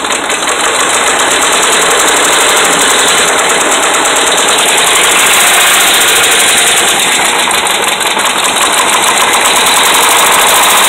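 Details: Dodge Ram 5.7 Hemi V8 revved gently, kept under 2,000 rpm: hard rapid metallic knocking about three and a half per second; bad connecting rod and crankshaft main bearings.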